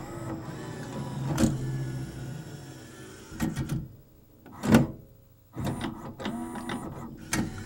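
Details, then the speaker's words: CLD-M301 laserdisc player switching to side B on a CAV disc: whirring spin-down from the full 1,800 RPM, mechanical clunks as the laser moves, then the motor winds back up; normal, only a few seconds slower. "So obviously it takes a lot longer for it to switch on a CAV disc just because the disc is spinning at the full 1,800 RPM when it goes to switch sides. It only adds a few seconds but it's significant."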